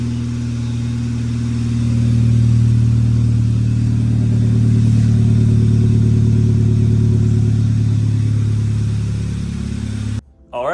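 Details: 2006 VW Mk5 GTI turbo, 034 Motorsports tune (stage 2, owner thinks), downpipe, CTS turbo exhaust, after vacuum leak repair: smooth even note swelling as revs climb under boost, holding then backing off, no hiss or stumble; runs clean.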